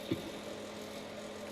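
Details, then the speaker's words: Squier Jaguar with two single-coil pickups and poor factory shielding, through amp: small click then steady low buzz with bright overtone that drops when strings are touched; a screw possibly missing; ground hum. "But he was doing some recording and he touched the strings and the ground noise went away."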